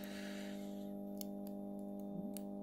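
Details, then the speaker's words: Recovered fluorescent tube starter tested after removing its capacitor: quiet steady mains hum with a few faint ticks over about two seconds; starter works but is slow, taking about 2 seconds to strike; fault was the capacitor. "OH là et ben il fonctionne c'est juste qu'il est un peu lent mais il fonctionne"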